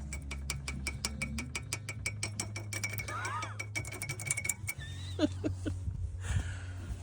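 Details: Knock when turning the steering wheel: rapid regular clicking and knocking in bursts with faint clunks; customer reports it mainly in turns, fine at 50 km/h; CV joints and boots checked fine, source still unknown.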